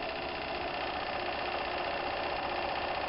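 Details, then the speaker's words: Märklin 4097 engine with a new longer-stroke crank, warmed up: soft, even, rapid chuffing about four beats a second with a steady light whir; runs smooth and very quiet. "you can see the engine runs perfectly and now the engine has warmed up and you can hear that the machine is actually running very very quiet"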